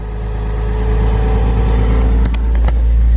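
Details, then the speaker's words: 1999 Porsche Boxster after sitting four years, knocking/tapping noise now gone after running a few minutes; even smooth note through light throttle blips, no ticking or tapping; normal running. "a few light revs where's the knocking noise where's the tapping noise huh that's what I'm talking about"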